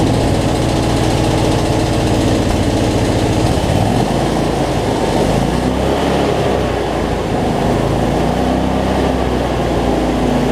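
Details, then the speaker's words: Cub Cadet zero-turn mower, Briggs V-twin, after adjusting a governor that let it race out of control and fixing rich running: steady, even drone at constant speed, no surging or hunting, no black smoke; battery not charging. "so much better though no black smoke so so all right let's see we got multiplied here so"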